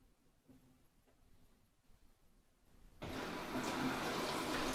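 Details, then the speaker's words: LG WT7800CW direct-drive top-load washer after agitator repair, running its normal load-sensing cycle: quiet motor hums and soft shifts as it weighs the load, then a sudden rush of filling water. "So on these newer model washers, they do have to sense the weight of the load first so it can determine how much water to put in there."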